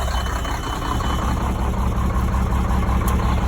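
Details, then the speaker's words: Sterling semi truck with Cummins diesel, sitting 8 years: deep, steady idle with even low thrum, no knocks or misses, oil pressure up; normal idle after repairing a broken wire and an undone inline fuse. "There we go. He's running. Oil pressures."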